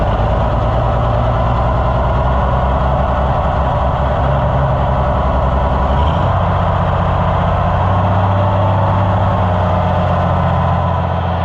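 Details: Oliver 1650/1655 tractor after new Delco-style distributor swap, glazed new points having caused no-start earlier: deep steady idle stepping up evenly in speed, no misses or hesitation; running healthy.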